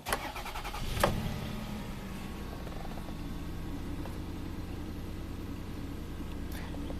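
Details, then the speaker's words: 2000 Toyota Sienna 1MZ V6 with 540,446 original miles, code P0305: cranks then idles lumpy after swapping plug wires, misfire moved to cylinder 3, confirming a faulty aftermarket spark plug wire from coil 2 to cylinder 5. "indeed it sure did cylinder number three is dead now number five is perfect so confirmed spark plug wire going from coil number two to cylinder number five"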